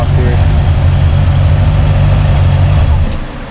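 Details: Classic Model A with newly installed electric cooling fan (set to switch on about 180–185°F), warming up: steady, even low burble about 3.5 pulses a second, no misses or knocks, fan running; healthy idle.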